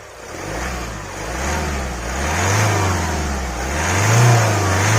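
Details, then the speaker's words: 2022 Kia Carens Prestige diesel revving from a normal start: a low, smooth note rising and falling with no knock, rattle or whine, a quiet, refined diesel. "मेरे हिसाब से तो जो किया कि range का engine है diesel engine वह काफी साइलेंट है"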